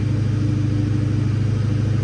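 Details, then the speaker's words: Mustang Cobra fitted with new LFP single-blade throttle body, warmed up: steady, fast idle stuck around 1600 rpm instead of dropping; a vacuum leak at the throttle body is suspected. "It definitely should have idled down by now, and it's still idling around 1600 RPM."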